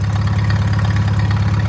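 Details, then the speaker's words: Old Farmall tractor, serviced and started on a jump with an uncharged battery after it kept dying last time: steady, even low thrum with a regular beat and no misses or knocks; idling cleanly, owner suspects bad spark plugs were the cause. "She's running"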